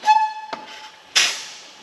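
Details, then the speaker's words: 2007 Toyota Camry 2AZ-FE 2.4L four-cylinder, leak-down test on cylinder 2 (over 20% leakage): radiator cap opened, sharp hissing as compression escapes into the cooling system, confirming breached head gasket; overflow bottle bubbling. "You hear that hissing? Number 2 is leaking down into the cooling system somehow. So that tells me that number 2 cylinder has a breached head gasket somewhere allowing compression to get into the cooling system."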